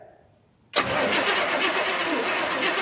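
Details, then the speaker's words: 1969 Buick Wildcat, 430 cu in big-block V8 (rated 360 hp, 475 lb-ft), cranking after sitting 21 years; starter spins the engine steadily with an even rhythmic chug, compression sounds good, not locked up: normal cranking. "oh she's got compression all right that is a runner if I've ever seen one"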